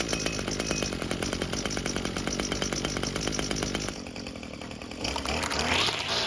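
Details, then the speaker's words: Echo string trimmer two-stroke after carburettor swap, choked and purged: fast, even buzz at steady high speed, crisp regular firing, no misfires; normal running. "And as you can tell, it works great."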